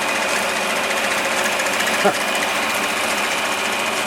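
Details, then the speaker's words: 1946 Victor model 40B projector being restored: it was gummed up and freed by oiling. Film drive gives a fast, even mechanical chatter over a steady motor whir, with no knocks or catches. The mechanism runs well: normal running. "But it's really running quite well. So, I just wanted to show that this thing does work thus far."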